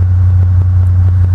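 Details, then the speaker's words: 1964 GM PD-4106 bus diesel with fast idle switched on, air pressure building: deep, steady, even drone with no knocks or misses, healthy fast idle. "let's kick this fast idle on you hear that kick on real good"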